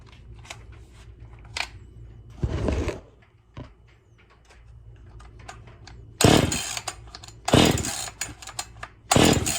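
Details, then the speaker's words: Husqvarna 55 chainsaw with stock muffler, first fire-up before muffler mod: short sharp throttle bursts snapping up crisply and dropping back cleanly between pauses; normal running. "I just want to hear some noise. I'm sure y'all do too. Ooh, she got some pop to her."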